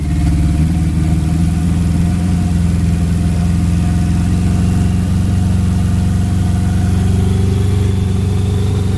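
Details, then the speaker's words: Honda turbo B20 VTEC build on E85, turbo manifold previously cracked and reinforced: loud, deep steady idle with a slight uneven shudder underneath; a misfire is heard, and it is suspected to be the injectors, unconfirmed. "That's injectors. It's the injector. If anything."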